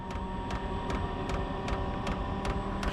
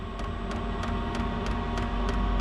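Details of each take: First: Chinese diesel heater in a shed, still cold after firing off with ether assist, set to level 10–11 and spooling up: sharp even fuel pump ticks about two and a half per second over soft fan hum. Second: Chinese diesel heater in a shed, still cold after firing off with ether assist, set to level 10–11 and spooling up: sharp even fuel pump ticks about three a second over low steady hum; normal start-up pumping.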